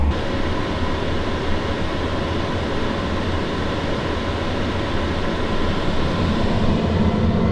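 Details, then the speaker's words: H-Calorie Toolbox 2S diesel heater after glow-plug ignition, fan and fuel pump ramped up at full output, microphone right on top of the unit: steady even roar, no surging, pulsing or popping; burning cleanly; normal running. "And the fan and pump gradually increase as the temperature comes up and the combustion chamber switches over to auto ignition. And after a few short minutes, we're really cooking."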